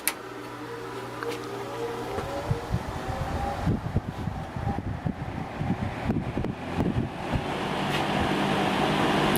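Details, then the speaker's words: Vintage Penncrest (Lakewood) 50 box fan, 2.25 amp McMillan shaded-pole motor with winged stator, dusty and not yet cleaned or oiled, switched to high: hum builds smoothly to full speed, no scraping, drawing 2.36 A, 185 W; normal spin-up. "up to speed without a problem. And we're at 2.36 amps, 185 watts."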